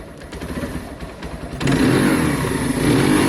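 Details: Keeway/Benelli 125cc single just after carburettor clean, idle noted as a bit low; uneven low idle, then picks up and holds a steady clean rev with no misfire or popping, carb fuelling properly.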